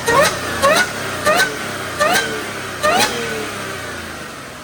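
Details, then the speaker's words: Audi B8.5 S4 3.0T supercharged V6 with newly installed CTS Turbo intake and stock exhaust: five quick throttle blips, each with a sharp supercharger whine rising and falling with revs; normal, clearly audible. "After I do the exhaust, it's going to be a lot harder to hear the supercharger whine, but with the stock exhaust, it's awesome."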